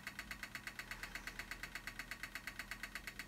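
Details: Apple Mac Pro, bought cheap as supposedly dead, now booting after reseating memory; fast, very even ticking about three per second over a faint hum; repetitive fan tick, owner suspects a worn bearing.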